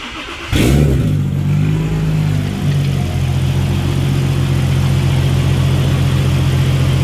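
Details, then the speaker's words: Turbocharged drift car started after turbo core was removed and cleaned and new lines and clamps fitted, checking for oil leaks; engine catches cleanly into smooth steady idle with no misses or knocks, after the turbo drain previously leaked onto the manifold. "Now, see if it actually starts and make sure there's no oil leaks, otherwise you can have a big problem."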